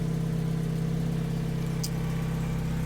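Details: 1994 Mazda Miata NA after replacing failing fuel pump with Deatschwerks DW200 255 LPH pump, idling after install: smooth, even low idle hum with steady beat, no knocks or ticks; engine healthy.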